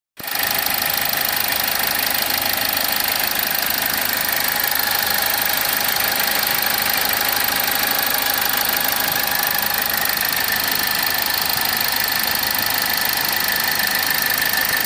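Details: Engine idling with a fast, uneven ticking chirp about three per second over a steady hiss; a pulley noise, possibly a worn pulley, cause not confirmed.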